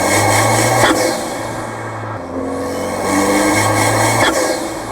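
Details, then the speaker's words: Fiat 124 Spider Abarth with atmospheric Forge blow-off valve on its pre-installed yellow spring, engine mic'd: drone rises and falls unevenly at low rpm under load with airy puffs, boost surging and not pulling smoothly down low; fixed by fitting the stiffer blue spring. "so right there you can clearly hear that surging and you can see it i know when i drove it i felt it it was just not pulling smoothly on the lower rpms"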